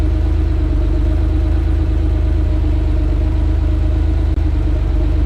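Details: Hot air-cooled Porsche 911 with Bosch CIS K-Jetronic Lambda injection after mixture adjustment, frequency valve duty cycle now mid-50s: steady, even idle, smooth low pulse, no stumbles or misses; normal idle.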